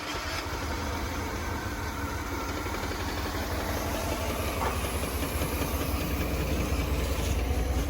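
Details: Chevrolet S10 pickup after fuel tank work and raising the idle screw because it died: steady, even low rumble holding a smooth idle with no misses or knocks, idling normally.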